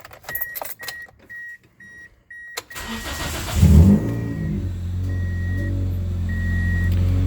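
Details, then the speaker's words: 2003 Pontiac Vibe GT 2ZZ-GE with newly installed PPE header and mid pipe, no muffler yet: a few chimes, then cranking catches into a loud, deep, boomy idle from the open exhaust. "Let me start it up for you guys. I'll show you at least what it sounds like with no muffler. And then hopefully I'll be getting a muffler tomorrow."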